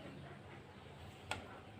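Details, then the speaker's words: BOSS GT-10 guitar multi-effects after cleaning dirt that caused a short: near-silent output with only faint low hum and a small click, the constant FM-radio-like hiss gone. "Kalau tadi ketika diem gini dia udah ngosos keluar suara ekornya sekarang sudah selesai"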